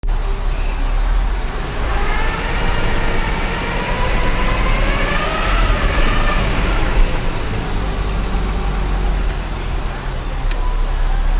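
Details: Nissan ER34 Skyline GTT, Nissan transmission only 3,000 km old, driving; thin whine rising and falling with road speed under road rumble, like straight-cut gears, diagnosed as excessive transmission bearing wear, clutch release bearing fine.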